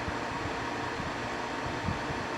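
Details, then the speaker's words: 1995 Carrier VisionAire window A/C, 6050 BTU, 6 A, cleaned out and fitted with a new cord, starting its test run: steady even whoosh of fan air over a soft low hum, no knocks or rattles; normal running. "let's fire it and see what happens oh no it's on and yes we have air flow right here cool"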